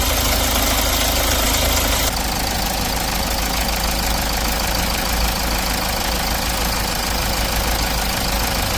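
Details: Diesel with R engine after a stretched timing chain was found and the chain set replaced: even idle with steady clatter and no rattle or slap from the front; normal idle after repair.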